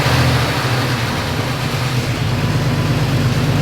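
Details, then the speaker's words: Salvaged Jeep Wrangler TJ after fitting a belt: even, steady idle with smooth low rumble, no knocking or ticking; makes oil pressure; possible whistle suspected from alternator; normal idle. "Oh, it sounds good. Oil pressure. There's some pressure."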